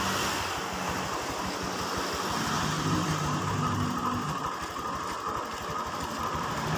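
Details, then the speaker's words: Honda Vario 150 scooter running, rear wheel turning: coarse, rattly grinding and krotok-krotok from the CVT, with jerky takeoff; the mechanic's analysis is a worn rear pulley bearing, louder when the wheel is turned backward. "suara dari daerah CVT itu analisa saya adalah suara dari eh bearing bearing puli belakang"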